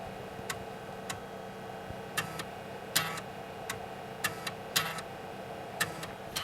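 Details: Dell 486P/20 (486SX 20MHz) accessing disk while installing DOS 6.22 onto a 52MB SanDisk CompactFlash card used as the hard drive: crisp, irregular seek ticks in short clusters over a faint hum; drive access sounds normal and healthy.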